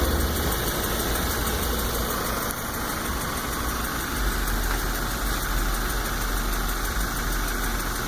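Engine idling steadily with a faint light tick riding on top; it sounds like a lower-end ticking, but the cause isn't clear.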